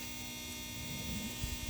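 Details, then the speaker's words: BMW E39 525d (163 hp) diesel, new auxiliary fuel pump priming with key turned, engine off: steady electric hum and buzz while bleeding system and drawing diesel from tank; normal, stops after a while, car then starts immediately. "Chestia asta o să facă zgomotul ăsta tot timpul. Se oprește. Vine un moment când se oprește. Trebuie să aerisească sistemul, trebuie să aducă motorina din rezervor în"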